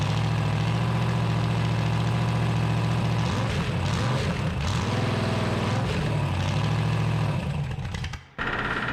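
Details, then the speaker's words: 1974 Dodge D100, 383 big-block with solid lifters and new headers, on a cold-morning start after advancing the timing: a deep, lumpy, steady idle with no ticks or knocks, running clean though the idle needs raising. "turn your idle up a little bit huh yeah sounds pretty good though sounds good do it huh yeah no funny noises"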